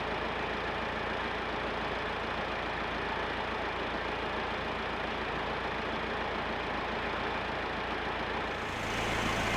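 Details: Massey Ferguson 50HX backhoe loader, 4-cylinder Perkins diesel, hydraulic pump reconnected to the engine: even steady drone holding speed without stumbles or straining; engine and hydraulic pump run normally, some arm cylinders leaking.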